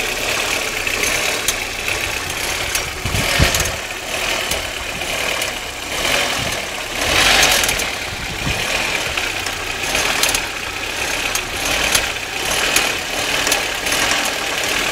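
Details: Audi 1.8T (AEB) engine at idle: scattered sharp metallic clicks over an even idle with no steady pattern; unexplained clicking noise.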